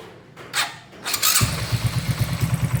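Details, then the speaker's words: Honda Karisma-based motorcycle (C800 body), bored up to 148 cc with 56 mm piston and custom cam, rewired after a short: starts first try and idles with even steady thump, no ticking or rattle; smooth healthy engine. "nah ini untuk mesin halus ya teman-teman ya untuk mesin halus enggak ada suara ngelentek atau suara apa-apaim"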